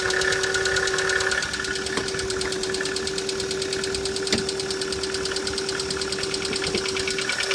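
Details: Chevrolet Cruze engine on a cold start in light frost: a fast, fairly uneven light ticking of about three per second rides over the idle. It is an unpleasant extraneous top-end noise that later disappears; cause unknown.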